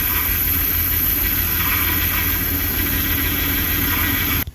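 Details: Vehicle idling right after a jump start of its weak battery with a JFEGWO 6250A jump starter: steady, even low rumble with no knocks or stumbles until it shuts off; the engine idles normally.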